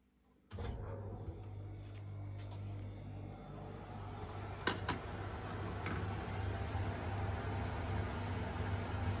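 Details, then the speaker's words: Truma Saphir underbunk reverse-cycle air conditioner in a Toyota Coaster motorhome, just switched on, cabinet front not yet fitted: steady low compressor hum under even fan rush, somewhat noisy but no knocks or rattles; running normally. "It's not particularly quiet. It does make a bit of noise. You can hear the fan and the motor of the compressor running."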